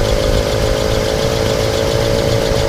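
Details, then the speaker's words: 1967 Mercury Cougar XR7 V8 at idle: steady mid-pitched whirring hum over an even idle with no knocks or misses, from the smog pump; sounds more like a belt squeak, normal and nothing to worry about. "That's normal. That kind of sounds more like a belt there. Nothing I'd be worried about."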